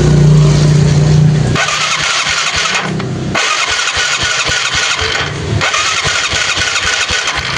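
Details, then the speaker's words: Yamaha Mio carbureted scooter after the dry starter motor was lubricated and reinstalled: starter cranks briefly with no squeal, engine catches and settles into a steady even idle with light throttle blips; normal cranking and start. "Oke, Gengs. Aman. Sudah tidak ada bunyi berder cheat."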